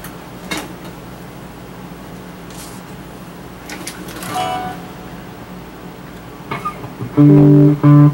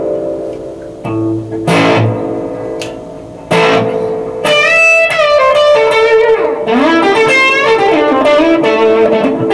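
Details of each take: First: Early-1970s Acoustic 470 guitar amp: tapping the reverb tank still sounds, so the pickup side works, but guitar notes come through dry and flat with no spring-reverb tail; failed reverb drive circuit. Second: Early-1970s Acoustic 470 guitar amp after reverb drive circuit repair (transistors replaced with KSC1846 NPN and KSA992 PNP): plucked guitar notes ring out with a clear, lingering spring-reverb wash behind each phrase; reverb working properly.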